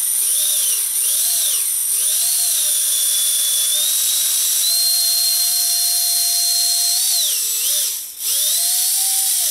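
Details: Micro ducted fan (EDF) on a servo tester after balancing with electrical tape near the hub: high clean whine rising and dipping smoothly with throttle, no wobble, buzz or felt vibration; balanced fan running true.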